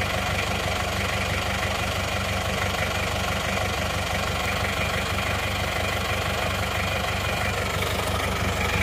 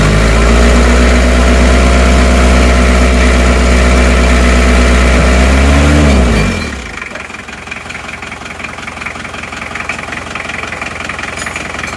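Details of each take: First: Isuzu Panther 2.3 diesel before repair, using oil, smoke under the engine heavier than from the exhaust, as if on fire: steady idle with coarse chuffing clatter, no clear misfire; excessive crankcase blow-by from worn rings and liners. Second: Isuzu Panther 2.3 diesel just rebuilt with new water pump, shortly after first start: steady, even idle with a regular low beat for about six seconds, then shut off; smooth, normal idle.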